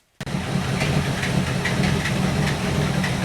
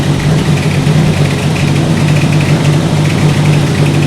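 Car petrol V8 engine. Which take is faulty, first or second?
second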